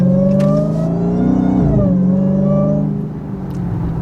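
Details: Car driving with a cold air intake, which the owner says hurt fuel mileage. Under load, the revs climb with a clear, high whine rising in pitch: a healthy supercharger.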